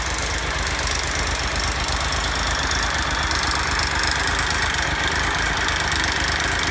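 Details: Triumph Tiger Explorer after oil change from 10w50 to 10w40 and new filter: steady metallic chatter over idle following revs, loose rattle suspected as timing chain, not confirmed.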